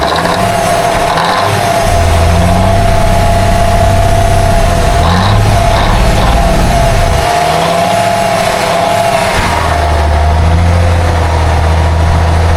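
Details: 1962 Kenworth W925, Cummins Big Cam diesel, sat 18 years, after the fuel lines were replaced and the filter topped off. A deep, steady idle with an even low rumble and no misses or knocks, running on its own fuel tank.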